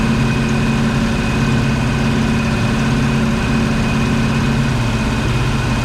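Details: 1970 Ford Mustang Mach 1 V8, first start in about 40 years, second attempt with a little gas: deep, steady idle with an even low rumble, no misses or knocks. Some smoke, likely Marvel Mystery Oil burning off from cranking. Normal idle.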